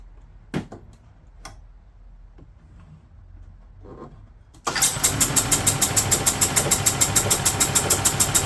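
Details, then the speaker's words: 2008 Yamaha Drive G29 gas golf cart after priming the fuel pump: faint clicks and cranking, then it catches into a fast, steady popping beat; hard start due to the accelerator not pressed far enough; still runs poorly, possible head gasket. "Alright, most of the reason it wasn't starting is I wasn't pushing the accelerator down far enough."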